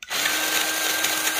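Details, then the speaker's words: Milwaukee 2646-20 M18 Fuel grease gun, over 3 years old, tube and hose removed: in high range a steady motor whine with a harsh gritty grinding; high-speed gear failed, low range still works; gearbox to be replaced. "but you flip it into high range you might be able to hear some grinding"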